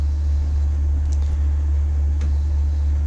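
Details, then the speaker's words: Takagi tankless water heater (two-heater setup, 131°F setpoint) after altitude DIP switch moved up one step to raise fan speed 6%: steady low-pitch combustion fan drone at low modulation; setting helped only slightly. "low pitch vibration there's really anything i can do about it it just is what it is"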